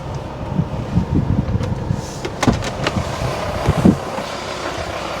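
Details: Pre-facelift VW T5 Transporter 2.5 BNZ diesel idling, engine bay, about 21°C outside, after intermittent A/C fault fixed: steady idle under rushing radiator fans, few handling knocks, no compressor clatter or squeal; A/C compressor running normally, cold air.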